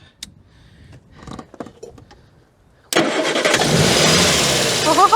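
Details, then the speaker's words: Morris Minor scrapyard car, unused on the road since 2013, first start attempt with choke set and spark unchecked: quiet pause, then it catches abruptly into a busy, eager fast idle; starts and runs. "wow that was unexpected that actually started ready to go slightly concerned it really wanted to go"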